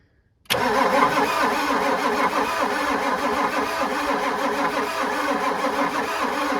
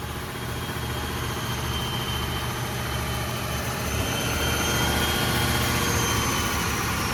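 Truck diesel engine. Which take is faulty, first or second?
first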